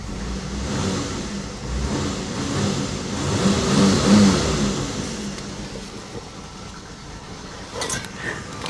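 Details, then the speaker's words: 1984 Chevy Citation salvage car, first start and throttle blips with check engine light on: engine rises and settles with a rough whirring on the revs, suspected to be the smog pump. "that noise that you're hearing if you're wondering what that is that sounds to me like the uh smog pump yup but guys she's running on her own no help for me no external fuel source"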